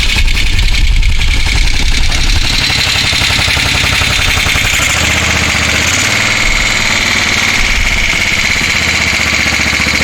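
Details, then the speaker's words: 1973 Moto Guzzi V-twin at first run after decades off the road, carburetors cleaned and tank coated: steady idle with busy, slightly uneven beat and top-end clatter; rough but acceptable, seems fine. "not sure what it's supposed to sound like that doesn't sound too bad"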